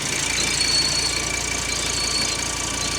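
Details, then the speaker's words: Mark 1 Audi TT RS 2.5-litre 5-cylinder salvage car at idle: thin steady high whistle over a quiet idle, constant pitch; vacuum pump suspected, possibly its front cover leaking, not confirmed. "I think it's I think it's vacuum pump okay so what you think the noise we're hearing"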